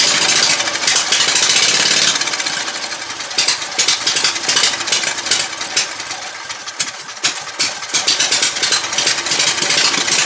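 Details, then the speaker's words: Ride-on mower "John Man" with newly swapped 22hp 670cc Briggs & Stratton V-twin (replacing a 12.5hp Kohler single), custom headers to Yamaha V Star dual exhaust: quick, even popping idle, no misses or knocks; starts much better than the old engine. "Fires up so much better than that one."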